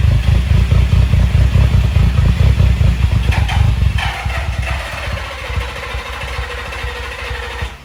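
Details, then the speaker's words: Nissan 350Z, jump-started after camshaft sensor and cheap (snapped) crankshaft position sensor installs, previously a no-start: it catches, runs lumpy and uneven for a few seconds, then falters and dies. Rough idle and stalling, cause unconfirmed. "as you guys saw in the last clip uh like the car turns on now it's kind of like idles pretty bad just like when we give it gas it like dies out"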